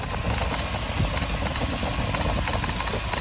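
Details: Lexus LX (100 series) rough, lumpy idle with misfire and light rapid clicking; clicking traced to the idle air control solenoid, which owner suspects may be the culprit, cause not yet confirmed.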